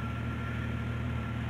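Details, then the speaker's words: 1990-1999 Jeep Cherokee six-cylinder just after replacing cracked ignition coil (old coil gave weak orange spark): smooth steady idle, even low rumble, no stumbles or misfires; runs much better than before. "but if i started now see let's start it now it runs actually a lot better than it did which would explain why because there's cracks in the old ignition coil"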